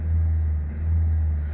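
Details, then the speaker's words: Ford Zetec engine in a Myers, after valve work, revved to about 2,000 rpm: deep drone swells and sags instead of holding steady, with no smooth transition; an ABS light also appeared; rpm hunting when revved, cause unknown. "Looks like it does that sort of revving sound when you get it up to 2,000 RP. It bounces about like a Formula 1 car. Don't know why."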